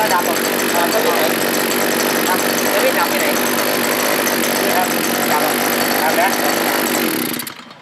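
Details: Small two-stroke earth auger engine after repair with a replacement sprayer carburetor, previously dying when revved: steady high-pitched buzz held at full throttle with no stumbling or dropouts, then cut; running cleanly and healthy.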